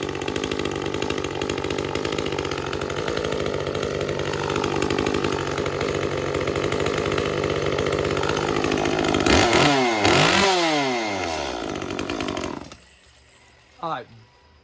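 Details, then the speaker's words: Echo CS-355 chainsaw, screen found badly clogged and cleaned: buzzes then blips throttle with slightly blubbery, lazy pickup before shutting off; both adjust screws at leanest limiter settings yet still runs a little rich. "both of the adjust screws are at their absolute leanest preset settings and it still feels like it's a little on the rich side"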